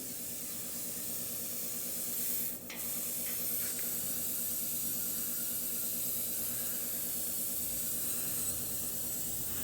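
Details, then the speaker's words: Shop hydronic main heater gone cold after the system wasn't bled: steady sharp hiss with faint sputtering as trapped air escapes from the breather before water comes out. "i forgot the other day i did some things and then i didn't bleed the system out so we've got to get some water to come out of this breather you can hear it"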